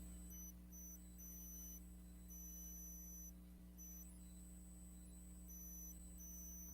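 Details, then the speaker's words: USB microphone in a room: thin high squeal cutting in and out over steady low mains hum, stops when microphone unplugged; owner wondered if fan or hearing aids caused it; electrical whine from the microphone. "I'm gonna try it again and see if it's the same thing y'all tell me real quick and I'll undo it all right what about now y'all hear the squeal"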